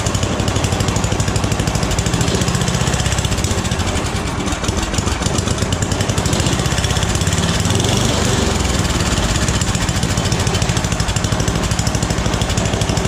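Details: Snowblower single-cylinder engine rebuilt last year after throwing a rod, carb freshly tuned, started with full choke and three primer shots: steady, even beat at constant speed with no knocks or stumbles; normal running.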